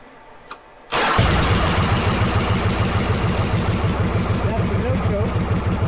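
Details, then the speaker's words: 1995 Yamaha Virago 1100 V-twin during restoration, possible backfire issue: fires up into slow, lumpy low idle with puffing front exhaust leak; front exhaust leak still to be fixed, wrong spark plugs to be swapped. "nooke idling a little low doesn't sound good doesn't sound [Music] [Music] bad got to fix an exhaust leak on the front exhaust those will be here tomorrow"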